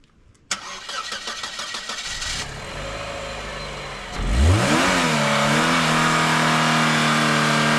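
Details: Dodge Caravan engine filled with water instead of oil, cranked and held wide open. It catches and revs hard with a rough, strained roar, ran about 30 seconds, then died, and the owner says it sounded like it locked up.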